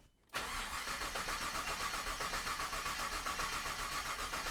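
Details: Freshly built 1998 GMC Sierra, 13,341 miles: fast even starter whirr about four beats a second, ignition disabled to prime oil, no firing; healthy crank, fuel pressure good, oil pressure pegged.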